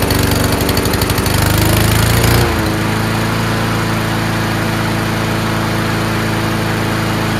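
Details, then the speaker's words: Honda-powered Troy-Bilt TB240 self-propelled mower after carburetor cleaning: rough, rich running for two seconds as the automatic choke stays closed, then a backfire pop as it opens and idle smooths; choke sticking closed. "so the choke stayed closed didn't open right away until a few seconds later it opened up again and a backfire"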